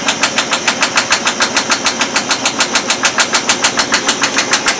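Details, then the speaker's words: Brand-new GE Profile washer/dryer combo after technician replaced the door seal gasket: rapid regular clattering bangs about three a second during high spin, machine shaking and bouncing violently; did not do this before, cause unknown. "I'm getting the hell away from the front of this thing I don't think a brand new washer should be going crazy like this and making a rattling noise"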